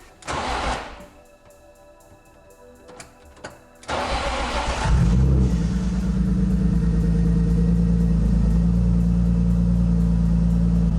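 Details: BMW E36, after an Active Autowerke DME tune and EWS immobilizer delete: short cranking, then it fires and settles into a steady, even idle with no misses; the EWS was the no-start cause. Radiator leaking.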